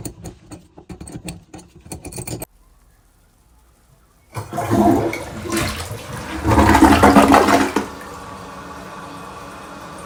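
A toilet flushes with a loud rush, then settles into a steady refill hiss with no banging.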